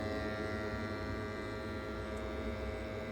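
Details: New gas combi boiler, installed 12 months earlier, customer complained too noisy; running at full in service mode in a detached garage: even steady hum with constant fan drone, no knocking or whistling; normal.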